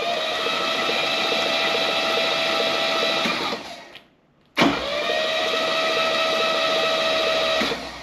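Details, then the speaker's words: 1966 Mercedes 230SL (Eurospec), off the road 40 years: jumping the starter solenoid with a hopefully working starter gives an even, steady whir with constant tone and no grinding or clunks, briefly stopping and resuming; normal healthy cranking. "Absolutely no problem. Look how smooth it is, too. No weird noises."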